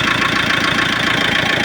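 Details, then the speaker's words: Mitsubishi diesel after timing belt, tensioner and idler bearing replacement (it hunted badly after the belt broke): steady, even clatter at idle with no hunting at all; normal diesel idle. "देख सकते हमारा गाड़ी जो थोड़ा भी hunting नहीं कर रहा है जरा सा भी हंटिंग नहीं है"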